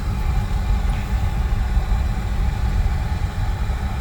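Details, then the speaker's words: Oil boiler after a breakdown repair. A steady low roar with an even flame and no pulsing or surging; the analyzer check shows ppm coming down and air around 35%, and the burner is running clean. "she lives again I will just check it with the analyzer make sure it's burning clean but it looks clean inside"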